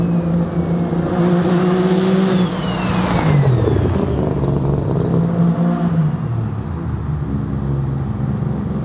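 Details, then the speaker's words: Untuned street-port RX7 rotary on a low-boost street pull: pitch rises, then turns ragged and uneven near the top before falling away; breaks up around 4,000 rpm, cause unknown, awaiting dyno tuning. "like i said there's a big issue with it about 4 000 rpm it starts breaking up"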